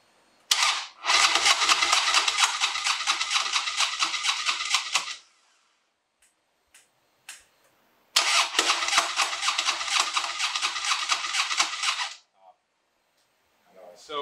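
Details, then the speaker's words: 2007 Harley-Davidson Dyna Wide Glide with misfire, after fuel filter change and reassembly: two four-second cranking bursts, steady starter whir, no firing; crank no start because the injector plugs were left unplugged. "ended up putting everything back together um i forgot to plug in the injector plugs"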